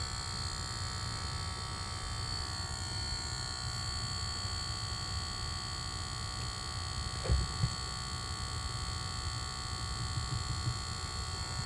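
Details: Lucid device with a constant thin high electrical buzz, steady throughout; not cleared by switching profiles or one reset, stopped after a logo reset, cause unknown.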